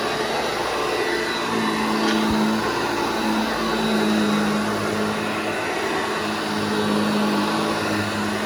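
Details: Restored vintage Hoover Junior 1334 vacuum, demonstrated after full restoration and reassembly: smooth, constant motor whine with steady pitch, no rattles, rubs or bearing growl; running healthy.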